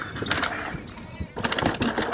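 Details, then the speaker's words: Trek Rail e-MTB with Bosch Gen 4 motor and 625Wh battery on a downhill descent; irregular, busy metallic rattle in bursts over trail noise while coasting, motor rattle on descent, not a deal breaker. "so this is about the fourth time we've done the downhill panama it's one of my faves and you can probably hear that rattle i'd say it's pretty similar to the shimano definitely the bros wins for a silent motor when you're riding it"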